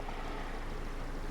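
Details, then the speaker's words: 2002 Ford Focus 1.4 petrol after repair of the cylinder 4 misfire (P0304, P0420 catalyst codes), codes being erased: steady, even low idle hum with no stumbles; sounds a million times better. "but it does sound a million times better so Sean's just going to erase the codes"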